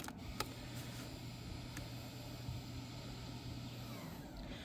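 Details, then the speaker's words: 2020 Hyundai Palisade, electronic parking brake calibrated without scanner by pulling the switch after pumping brakes: steady low electric hum winds about three seconds then cuts off cleanly as the motor applies. "So I don't know if you heard that, the motor was winding. That's the sound that you were hearing, and you can see the parking brake is on the dashboard right there."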